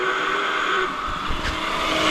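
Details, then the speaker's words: Honda 400EX quad radiator cooling fan switched on before replacement: steady slightly rough whirr with faint raspy edge, weak airflow; owner suspects the fan is clogged and worn out, due for replacement. "as you can hear it didn't sound the healthiest so plus it's not blowing nearly as hard as it usually does and so my guess is that fan is just full of uh full stuff"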